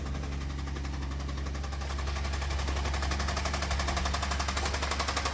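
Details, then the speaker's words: Chevrolet Traverse engine with a known knock, on a cold start right after an oil change with thicker oil and Lucas oil stabilizer, once oil pressure has built: steady ticking knock near four a second over a low idle hum; the knock persists. "all right oil pressure is built up currently knocking"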